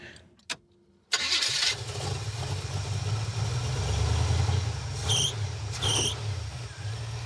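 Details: 1970 or 71 Camaro V8 after the carburetor accelerator-pump discharge lever was lengthened to remove slop; cranks, catches at once, settles into a steady, even idle with no stumble or misfire, running clean.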